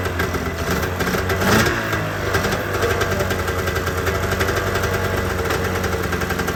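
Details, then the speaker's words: ZL550 two-stroke snowmobile after fixing a no-start, which turned out to be a fuel problem despite having spark; steady two-stroke buzz at fast idle with a small blip, even firing, revving up strongly; normal running. "yeah it does pull them right up holy cow it's never run like that"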